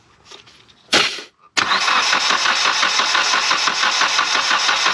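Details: Mitsubishi Evo X with a failed turbo, cranking during a compression test: steady, even cranking at about three beats a second with no hitching; readings of 115 and 110 indicate a healthy engine.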